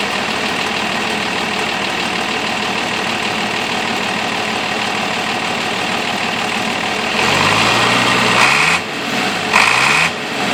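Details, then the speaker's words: International 856 diesel tractor, started cold with the muffler still fitted: steady even idle with smooth unbroken beat, no misses or knocks; sounds healthy, now cranking better after cylinder rough spots were addressed. "this tractor sounds pretty good even though it's got a muffler on it"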